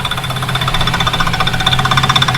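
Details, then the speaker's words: Drift project car started for the first time since last drift season: loud, lumpy cold idle with quick uneven chatter and buzzy tone, power steering pump audible, full exhaust; owner says it always idles rough until warm, gradually clearing and quieter. "This thing's always kind of idled weird until it's warmed up."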